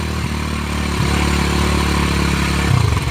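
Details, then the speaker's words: Small motorcycle in neutral revved hard: rough clattery note rising and falling while the rear wheel spins; suspected incorrect gear ratio setup, unconfirmed; brakes stop it without stalling. "Ini posisi netral. Bagaimana tanda posisi netral di rem mesin enggak mati? Ya netral ya. Oke. Nah, nek digas kencang lah lalu muter."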